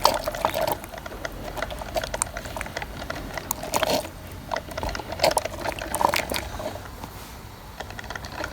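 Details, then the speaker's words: Walmart drip coffee maker after Monoject syringe fix: steady gurgling with irregular drips and splashes over a quiet hum; water now reaches the basket, where before it never did, brewing normally. "Check it out, it's dripping. So we're fixed, I believe. We are fixed because before the water was never reaching up"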